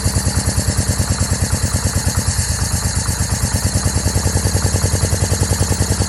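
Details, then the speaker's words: 2004 Yamaha V-Max, 4,400 km, unstarted for over 15 years: lumpy, uneven idle pulsing about three times a second with stumbles; misfire from one bad ignition coil and two bad spark plug leads, coil later replaced along with mismatched plugs. "after the initial startup I checked the coils one was no good two of the spark plug leads were no good"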